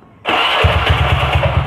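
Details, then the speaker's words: Honda Beat carburetor scooter: engine catches and runs with a harsh, rattly roar over a lumpy low pulsing beat, heard at the front, right side, caused by the magneto flywheel fan. "jadi bunyinya tuh bunyi kasar Hai yang bisa dialami oleh sebuah keluarga Beat ya teman-teman ya kayak gitu untuk punya kayak gini bunyinya kayak gini coy nih ngerinya"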